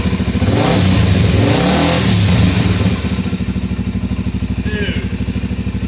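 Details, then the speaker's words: 2004 Suzuki DR-Z400E single after carb rebuild, first startup with choke pushed in: revs up cleanly then drops straight to a crisp, steady thumping idle around three beats a second; healthy engine that fires right up. "there you know after so long messing with just stuff that won't ever run it's really nice to just have a machine that fires right up"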